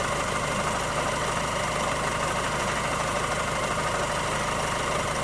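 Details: 2007 Mazda 3 MZR diesel, 190k on the clock, hard rural life, rough idle pending an idle reset, recorded on a cold start: loud diesel clatter with a faint thin whine that lasts a few minutes then disappears; source unknown.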